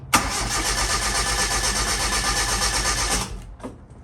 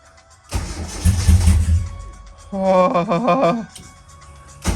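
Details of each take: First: Same engine after the solid-to-hydraulic lifter swap, run up to temperature, then cranked: even, quick starter rhythm with no stumbles or skipped beats, no longer sounding down a cylinder; air in the hydraulic lifters had bled out. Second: Engine on E85, just converted from solid to new hydraulic lifters, first crank and start. Cranks, catches, then a loud uneven idle limping like a dead cylinder. Owner suspects no oil yet in two lifters; compression test planned.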